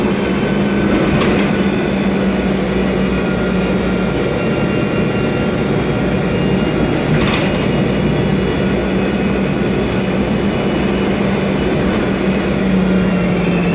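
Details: 2007 MAN Lion's Classic CNG city bus, MAN E2876 engine, Voith DIWA 864.3 four-speed automatic: steady whining tones over the ride rumble hold pitch with road speed, pointing to a noisy gearbox under drive.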